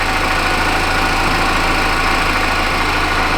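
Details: 2014 Chevy Impala after P0411 secondary air injection repair, engine idling with pump on: even whooshing air-pump hum, no fluttering or surging; pressure about 1.6–1.73 psi, under 1.9 limit, system cleaned out and working normally.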